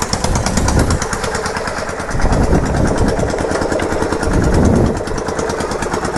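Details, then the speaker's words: Yamaha Virago XV920 café racer, first start and ride after work, V-twin: lumpy uneven idle with loud irregular pops and bangs, plus a clicking noise; owner says the carbs need syncing. "The carbs definitely need to be synced. Backfiring like a motherfucker."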